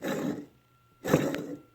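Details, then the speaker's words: 2007 Subaru Forester idler pulley, removed and spun by hand, gives rough, gritty rasping; bearing gunked up, causing whining that varied with rpm and was worst in cold weather right after starting, loudest near the A/C compressor. "and this right here is what's causing the squeaking"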